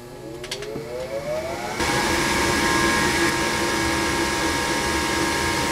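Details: Rheem RGPH gas furnace firing after the flame sensor was cleaned with emery cloth (it read 2.0–2.2 microamps before, manual says 2.0–4.0): soft rising whoosh settling into a steady roar as the burner lights and holds flame cleanly; normal ignition.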